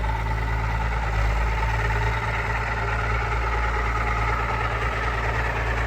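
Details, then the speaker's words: Allis Chalmers 190XT diesel tractor revived after sitting: steady idle with a thin constant whine above the clatter; owner is pretty sure the whine is the alternator. "And then that annoying sound you guys keep hearing, I'm pretty sure is the alternator"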